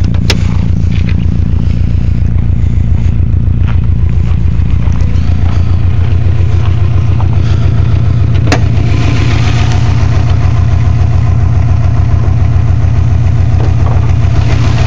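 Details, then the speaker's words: 2002 Subaru WRX 2.0L boxer at idle with a coarse rhythmic grinding clatter, three to four pulses a second, loudest on top of the cylinder 1 and 3 head. Owner says it is not rod knock and suspects the left timing belt tensioner. Cause unknown. "grinding noise over here is very prevalent on top of the one and three cylinder head i have no idea what it is"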